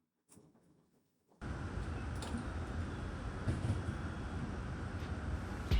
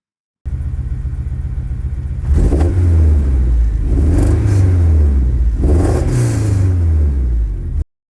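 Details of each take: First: K24-swapped 1990 Honda CR-X, two weeks after re-uploading the calibration to cure a random idle misfire with no codes: quick catch into a steady, even idle with no stumbles or skipped beats; starts and runs cleanly. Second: K24-swapped 1990 Honda CR-X with a random misfire for months and no codes or check-engine light: revs rise in uneven surges with a stumbling, lumpy note; it misfires at idle and smooths out higher in the range; cause unknown.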